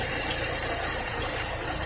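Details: Continuous high serpentine belt squeal over engine hum. Tightening or loosening the belt didn't help, and replacing the belt stopped it; the AC compressor bearing was later replaced, as the compressor may also have whistled.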